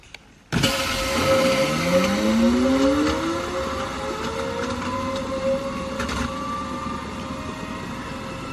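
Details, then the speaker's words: Replacement micro hydro PMA generator unit after mouse-chewed wire and frozen burst PVC, lid closed to check clearance: hum rises smoothly as it spins up, then steady clean tone, no rubbing; runs quiet, though leaks remain. "I don't hear that it's rubbing. Whew, I think we got by. Just barely though. And it's quiet, just as we had hoped."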